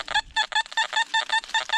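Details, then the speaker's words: Metal detector at an old coal mining town site, sweeping back and forth over a target; choppy mid-pitched chirps about five a second, the broken iron response in the main signal; large iron target, dug up as a big piece of iron. "you walk it back back go back into it there it is that is going to be a big Iron Target"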